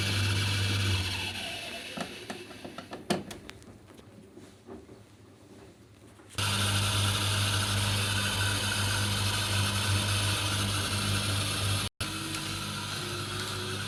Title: DV80TA02OAX 8kgs Samsung dryer repair;Motor replacement to fix unbearable squeaking noise